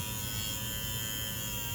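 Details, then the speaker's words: 1/48-scale Cessna 150 model: the small motor has just been mounted and is not yet glued, so it wobbles. It gives a constant high buzz with a low rattle, like a little airplane. Shaft vibration is suspected, and the builder may shave the shaft down. "once you glue it in and it sounds like a little airplane doesn't it maybe I'll I'll try and shave that shaft down a little bit coil down that noise"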